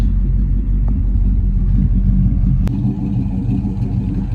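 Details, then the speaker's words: Old petrol engine idling off a gas tank with newly hooked-up fuel lines, with oil pressure, temperature and voltage all fine. A deep, even rumble with no misses, knocks or ticking; normal idle. "Pretty good, oil pressure steady, temp not overheating, voltage."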